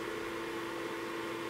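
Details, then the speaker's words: ProsKit SS-331 desoldering station after fitting quieter replacement fan: steady even whir, constant mid tone, no rattle or casing buzz as before; sound now mainly from the rear. "i mean most of the sound is actually now coming out the back it's not the casing it's vibrating like it was before"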